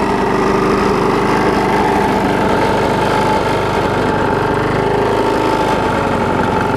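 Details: Bolens 21-inch mower, Briggs & Stratton 500 series, built April 2012, smoking: loud, buzzy single-cylinder drone with a shaky, uneven pulse; vibration from bent shaft and internal engine damage, barely usable.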